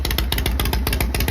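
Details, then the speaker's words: Harley Shovelhead with points ignition, cold start just after setting static timing to cure hard starting and high-rpm cutout: loose, lumpy slow potato-potato beat near stalling; idle set too low and needs turning up. "I need to turn the idle up it's a little low but there you have it yeah I might die the idle's pretty low right now"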